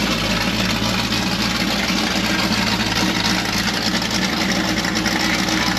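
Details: '70 Nova with a $400 mystery V8 swapped in after the 307 small-block's hydraulic flat-tappet cam failed, first fired within 12 hours: deep, steady idle with an even burble, no knocking or ticking. It runs cleanly.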